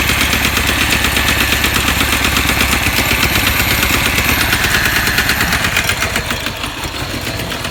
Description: 2008 chevy cobalt LT 130xxx leaking a large amount of oil, knocking very loud as you can see on video and car lost a lot of power that made it impossible to drive.